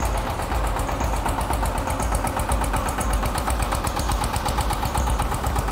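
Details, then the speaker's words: Rossel XT-152D/XT-184D small tractor single-cylinder diesel with belt drive, just started: steady even chug, no misses or knocks; smooth healthy idle. "как вы слышите двигатель работает ровно и уверенно"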